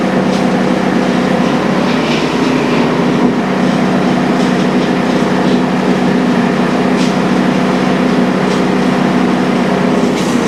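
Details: First-edition DR all-terrain brush mower whose blades would not engage, repaired with new bearings and an idler pulley instead of a clutch. Loud, even engine drone with the blades spinning and no knocking or grinding. Normal running.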